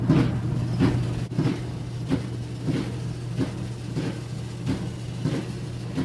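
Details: Roper clothes dryer made by Whirlpool, repaired a couple of times before, running with a loud thump-swish repeating about every two-thirds of a second over a steady hum before disassembly.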